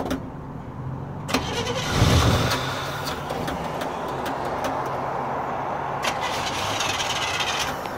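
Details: 1970 Chevy C10, December 2016: the starter churns the engine over at a steady three-odd beats a second, but it never catches. Crank, no start.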